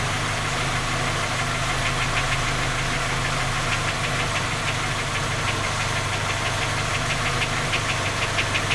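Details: Skoda Octavia A5 facelift 1.6 MPI, cold idle: sharp, regular tapping about three a second over a steady idle. Three engine repairs done without finding the fault; persistent knock, source not found.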